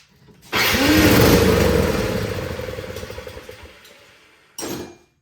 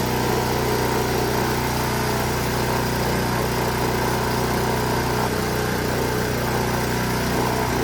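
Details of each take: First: Honda HS520 single-stage snowblower, unserviced, choke out, fuel on, with starting fluid sprayed into the cylinder: engine catches with a brief sputtering burst then dies; fuel not reaching carburetor, suspected stale gas. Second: Honda HS 520 single-stage snowblower that wouldn't start and had no maintenance, after repair, killed by choking: small single-cylinder fires and runs steady and even, no stumbles, then chokes off; normal running.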